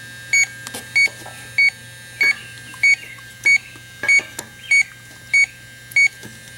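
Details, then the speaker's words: 2005 Chrysler Town & Country rear A/C 5/8" suction line after a pinhole patch repair, electronic leak detector on its highest setting: steady slow beeps around 95 per minute that never speed up, so no leak is detected at the patch. "Even on the highest setting, really not detecting any noticeable leak around this patch, so"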